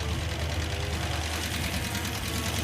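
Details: Hemi-swapped Gremlin V8 idling, engine previously running hot: loud fast sharp metallic valvetrain ticking that grows louder; suspected collapsed hydraulic roller lifter or loose rocker arm, not confirmed, listened at valve covers.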